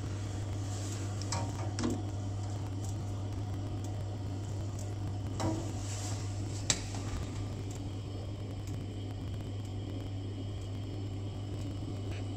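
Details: Glow-worm boiler, previous engineer had left the gas off: steady low fan hum with faint igniter ticks, no burner catching; pilot sparks weakly but won't light, gas valve/solenoid to be checked next.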